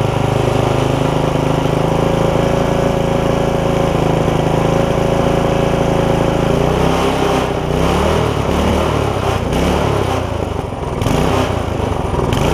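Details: Barn-find tiller's small single-cylinder engine, bought 17 years ago and never used, running on its first run after freeing linkage, oil full; steady putter that turns uneven and wavers midway; slight stumble at idle, possibly fuel-related.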